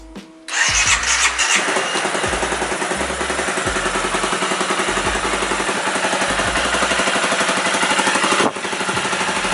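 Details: Motorcycle at about 14,000 km with new top cylinder head and camshaft after the oil filter was not changed; earlier cam chain noise. Starts and settles into a steady, even single-cylinder beat, no top-end ticking, music underneath: normal idle.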